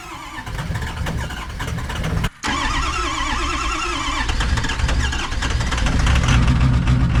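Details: 2005 single cab 6.0 diesel truck, started after sitting weeks at about 65°F, smoky: it turns over and catches into a lumpy, stumbling idle. Cylinder 8 contribution fault/misfire; smoke increases once warm.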